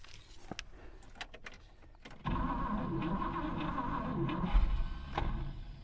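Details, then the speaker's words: 1964 Buick Riviera that sat 23 years in a field, carburetor float possibly stuck. The cranking whirr catches briefly, then the starter drive lets go as the engine tries to fire; the bendix disconnects as soon as it fires. "okay all right as soon as it fires a little bit the the vendex on the starter disconnects"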